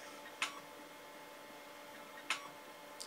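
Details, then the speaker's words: Amstrad PC 286D 1980s hard drive under DOS: sharp isolated ticks about two seconds apart over a quiet steady hum, followed by a 'seek error reading drive C' message; classic head seek error. "if you hear that noise that is a classic sign of a seek error"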